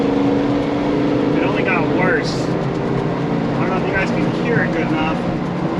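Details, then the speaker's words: Diesel truck starting after a long crank following an ECU tune, suspected bad high-pressure oil pump: uneven lumpy stumbling idle with no response to full throttle and surging; not injecting properly from low injection control pressure. "you can hear it's not properly injecting fuel because it's not doesn't have enough High Press oil"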